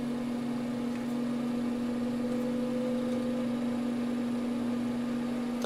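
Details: Two NOEVSBIG solder fume extractor fans running side by side on lowest speed: constant low hum with a faint soft purr from one, and one vibrates more on low; probably a dry bearing, one unit had been oiled.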